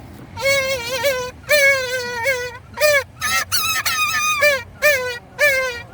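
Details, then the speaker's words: Chevy Tahoe 5.7 blower motor, tested with its two wires plugged back up: loud, wavering high squeal in bursts every half second to a second, like a squeaking animal; dry blower motor bearing, to be cleaned and greased. "long as I get this noise to stop this is annoying me it sound bad sound like a rat attacking a dunk and they both squealing that's what it sound like"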